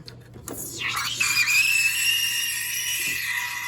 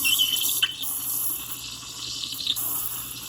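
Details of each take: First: Milk steaming on a lower-power espresso machine with the steam wand in the wrong position: a loud piercing screech climbs, then holds a steady high pitch over the hiss, a mistake to avoid. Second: Milk being steamed on a lower-power home espresso machine gives a steady soft hiss with light gurgling and no screech, showing correct steaming technique; the wand used to screech loudly before the technique was learned.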